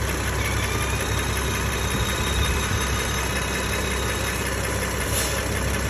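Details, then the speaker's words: BMW N55/S55 engine at steady idle with faint high, thin seagull-like squeals from a failed PCV valve diaphragm. "hey guys is your PCB W diaphragm as hungry as mine and uh your car basically makes a bunch of seagull sounds like"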